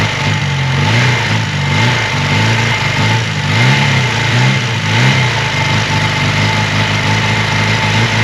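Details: 1980 Honda CB400 T Hawk twin after restoration (carbs rebuilt, oil changed), first run with fuel bottle; idling a little lumpy on choke with gentle throttle blips, even exhaust beat, no knocking or rattles: running healthy.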